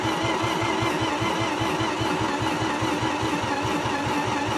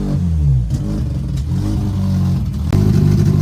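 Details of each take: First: Mazda RX8 engine after rewiring and adding oil: steady starter churning at about five even pulses a second with no firing, on a weak battery; turns but never lights, spark plugs not connected. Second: Mazda RX8 rotary engine first start after revival, exhaust not connected: loud raw buzzing revs rising and falling with throttle, running cleanly and pulling evenly; normal running, just no exhaust.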